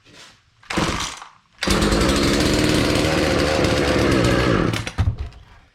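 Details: Husqvarna 240 chainsaw, hard to start: the two-stroke catches, buzzes hard for about three seconds, then sputters and dies; starts but won't stay running, cause not stated.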